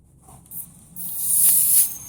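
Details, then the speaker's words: Mercedes-Benz air suspension valve, passing a static underwater bubble test, during a dynamic test as the valve is moved: a sharp high hiss for under a second; small air leak that appears only when the valve moves. "can hear there's a small air leakage. You can see here how we are losing air."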